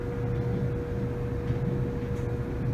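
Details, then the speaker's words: Samsung DV45H7000GW/A2 dryer after the squeaking was fixed with a new roller kit: steady low rumble with a constant motor hum, no squeal; the drum turns smoothly. "feels very smooth all right i think mission accomplished samsung dryer fix"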